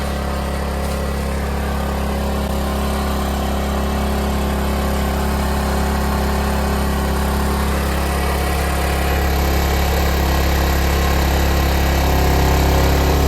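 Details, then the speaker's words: 3 kW RV generator loaded by a battery charger drawing about a kilowatt: steady, even low drone holding speed without hunting or surging; healthy generator under load. "amp that charger is fierce about a kilow is what I'm putting into it right now it's going to give that generator a really good workout"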